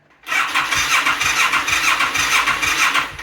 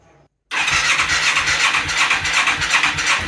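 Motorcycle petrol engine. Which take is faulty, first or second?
first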